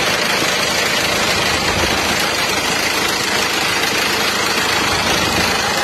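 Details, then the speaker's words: Isuzu Elf truck diesel at idle, blowing by: loud rough clatter with hissy chuffing rush beneath; worn barrel-shaped cylinder liners letting compression past rings, two liners replaced without removing engine. "Perbaikan elev ngobos mesinnya kemarin itu ternyata linernya sudah gentong ya."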